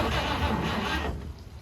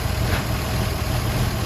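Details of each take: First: 1953 Chevy 3100 pickup, 235 inline-six unrun for over 40 years, weak battery on charger: about a second of cranking with a catch or two, then dies; cranks but no start, starter fluid next. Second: 1953 Chevy 3100 pickup, 235 inline-six first run in over 40 years, fuel squeezed from a bottle into the carburetor bowl: low even rumble at steady idle, no misses or tapping; normal idle.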